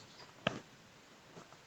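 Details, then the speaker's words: Pure sine wave solar inverter (3 kW transformer, 5 kW kit) on test: grid cut at 207 V, one crisp relay click as it transfers cleanly to inverter output at 230 V, normal switchover. "PLN-nya 1, 2, 3. Terdengar suara relay. Sekarang sudah INV inverter."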